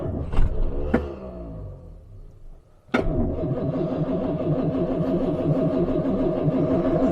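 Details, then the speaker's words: 1966 Jaguar S-Type (Mark 2), cold start after an overnight outdoors near freezing, on choke with a little throttle: a few clicks, brief crank, then catches and settles into an even, steady fast idle; choke hissing nicely, no fuel smell or leaks. "I think that wasn't really bad at all we have a nice even idle I can hear the hisser hissing nicely doesn't smell of any fuel or any leaking"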